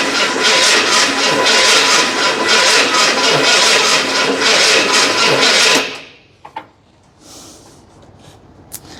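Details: Fire-damaged 1981 Ford Bronco just bought, carb freshly filled and coil powered directly: the starter spins the engine about twice a second for six seconds without a single catch. No start because the distributor was installed 180 degrees out.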